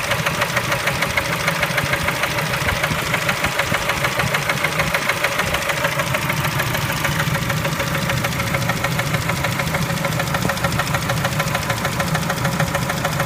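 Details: Spectra engine at idle: a steady, regular tapping of about three a second runs over an even idle; knock from inside the engine, source unknown.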